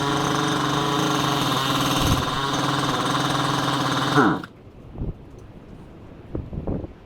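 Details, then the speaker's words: Husqvarna 372 knockoff chainsaw: rough, uneven buzz that hunts and sags before cutting off abruptly; engine won't hold a tune, cheap Chinese carburettor suspected. "remember last time we tried to tune this thing we cut it it wouldn't even hold a tune I guess that's super common for these Chinese carburetors"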